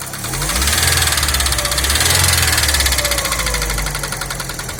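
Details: Daewoo Nexia at steady idle: sharp knock about four times a second over the engine note; something inside the engine is knocking, cause suspected, not confirmed.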